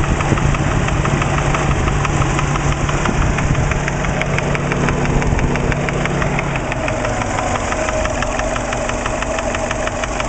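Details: Subaru Impreza EJ20 engine at idle, 30 psi oil pressure: steady, fairly quick ticking knock that varies and comes and goes, loudest at the top of the passenger-side head above cylinder 1; started right after a startup, no metal in the drained oil, cause unknown.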